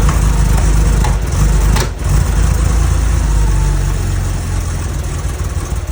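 Uneven, lumpy idle with a loping low beat and a couple of sharp pops; it's running rough and spitting back. Cause suspected, not confirmed.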